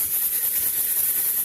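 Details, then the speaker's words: Pressure canner processing quarts of rabbit meat, just reached pressure: continuous hiss of steam past the weight with fluttering edge as it starts to jiggle; normal weight jiggle at pressure. "I am up to pressure, as you can see, and as you can hear, my gauge is starting to jiggle. That is normal."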